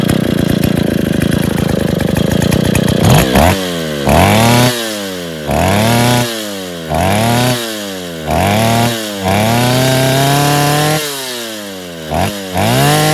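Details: Rebuilt Stihl 070 two-stroke chainsaw (new seal, axial play corrected; choke and clutch still to fix, no cover or bar) revs up and drops back cleanly about every second without stumbling or misfire: normal running.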